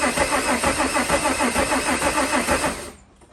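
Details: VW Mk2 Jetta with swapped VR6, cranking after a fuse fix restored rotation; even starter cranking about three turns a second that never catches, then stops; crank no start traced to seized fuel injectors.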